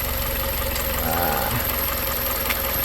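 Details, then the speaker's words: 2001 Toyota Corolla 1.8 with earlier P0301 misfire code, after cleaning heavy carbon deposits with cleaner liquid: steady, even idle, smooth low rumble, no misses or stumbles, cylinder two firing cleanly; normal idle. "pero sin embargo Después que le hice la limpieza con ese líquido ya trabajar un poco mejor"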